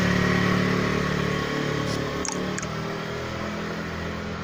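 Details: Jialing 125cc four-stroke scooter after crankshaft bearing replacement, test ride up to about 75-80 km/h: smooth steady engine note with no knocking as revs ease off, running normally.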